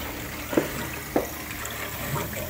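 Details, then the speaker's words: Filling a new underfloor heating loop added to a combi boiler, using central heating pressure from the boiler: soft trickling water with gurgles and spits as the automatic air bleeds vent air while filling, normal bleeding. "I don't know if you can hear that but the aabs go in which is what we want so it's kind of bleeding through as we're filling it"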